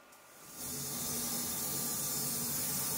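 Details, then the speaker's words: Steady bright hiss from an XDS X8A class-D active speaker cabinet with the volume up and nothing playing, fed by a balanced XLR cable from a mixer; constant noise floor, cause unknown. "you can hear it's even worse than my keyboard so now you know the problem and please share our ideas about this"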